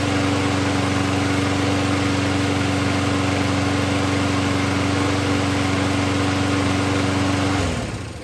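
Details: 2010 Troy-Bilt push mower restored and run for the first time after makeover: smooth even drone at constant pitch with no misses or knocks until shutoff; normal running.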